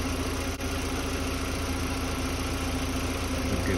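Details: 2005 VW Beetle being diagnosed for a P0455 gross EVAP leak, after a faulty fuel pump and a new fuel filter, with fuel pressure now on spec: smooth, even idle with a steady low hum and no misses or knocks, normal idle.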